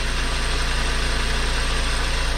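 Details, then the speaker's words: VW MK5 Golf 1.4 TSI twincharged idling quietly after water pump and supercharger clutch replacement with new coolant: steady, even pulsing with no squeak, tick or knock. Check engine light is on; it still needs to warm up. "be good it's quiet"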